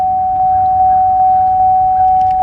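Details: Car with ABS, traction and brake warning lights on; steady mid-pitched chime pulsing about 2.5 times a second from the door area, the ABS fault warning.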